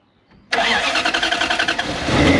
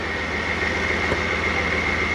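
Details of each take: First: Toyota 1UZ V8 in an FJ40 Land Cruiser barn find, long stored; on start attempts it catches, surges and sputters unevenly, then dies each time; very seized injectors suspected, not confirmed. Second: Toyota 1UZ V8 in a barn-find FJ40 Land Cruiser, not yet warm: steady even running with smooth low rumble and constant high tone, no knocks or misses; normal running.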